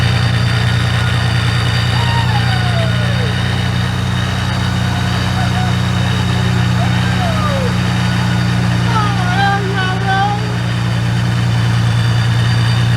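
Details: Ford Mustang 3.7 V6 freshly fitted with a ProCharger supercharger, first start after the build: smooth, even idle with a steady deep hum and light supercharger whistle; running clean and healthy.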